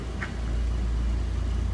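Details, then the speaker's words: 1996 Mitsubishi Lancer Evolution IV GSR, right-hand-drive JDM import: smooth, even low idle with steady airy blower fan hiss from heat or AC on, no knocks or misses; normal idle. "he fan running right now just cuz I got the heat on so maybe the AC on actually so that's why the fan just blowing but it's beautiful it runs and drives"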